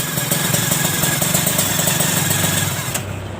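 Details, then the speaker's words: Kawasaki Ninja R150 two-stroke after a recent engine teardown: crackly, uneven rattle of about four ticks a second over a buzzy idle. Cause is a shattered power valve (Super KIPS) gear, likely from the crankshaft seal being refitted incorrectly. "Bro ini ternyata yang bunyi-bunyi ini Super Kit nya ini Hancur ini"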